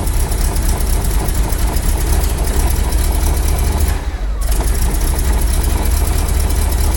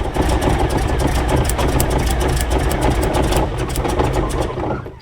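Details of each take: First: Rolls-Royce B-series 5.6 L eight-cylinder in a Saladin armoured scout car, started cold at -6 °C after work to cure a misfire: deep, steady, even idle with no stumble or knock; running cleanly after the repair. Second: Rolls-Royce B-series 5.6 L eight-cylinder in a Saladin armoured scout car, cold -6 °C workshop, idling during a plug-lead pull test to trace a reported misfire; the points are suspected: steady low beat with no stumble, and the miss seems to have cleared itself for now.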